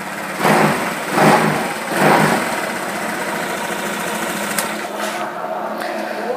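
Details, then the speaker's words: Honda Vario 150 scooter that wouldn't electric-start but would kick-start (battery normal, no MIL code): after the magnet was cleaned, a few quick cranking bursts, then a steady, even idle with no knocks or misses; normal idle. "Hai di sini motor sudah nyala Bro"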